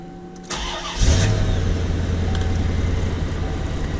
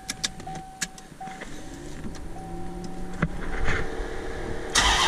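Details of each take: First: 1993 Chevrolet C4 Corvette with brand-new rebuilt engine, after correcting swapped plug wires (cylinders six and eight): short crank then smooth even idle, no lope or rattle; misfire fixed, all eight firing. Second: 1993 C4 Corvette V8 with brand-new rebuilt engine, misfire since first run: cranks, fires and settles into uneven lumpy idle with rattling shake rocking the car; rpm steady but running unclean, backfires while driving; basics overlooked.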